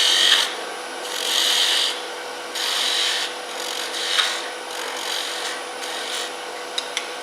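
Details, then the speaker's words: Turning a captive ring with a curved skew: soft, even hiss of the skew cutting in repeated passes, without the earlier screeching or chatter; a clean cut. "Okay. Now if I come in here, you don't hear that screeching noise that we had a while ago."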